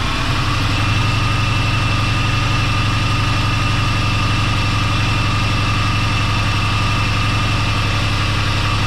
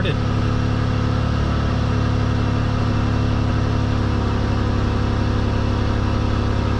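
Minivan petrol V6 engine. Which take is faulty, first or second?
first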